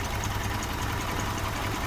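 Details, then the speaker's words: Rough idle on a violently shaking, vibrating car engine: an uneven, lumpy idle with a dull irregular knock under a steady drone. Suspected causes include a misfire, bad MAF sensor, vacuum leak or dirty filter. "When you have an engine that is vibrating and shaking violently like this, it shows that something is wrong."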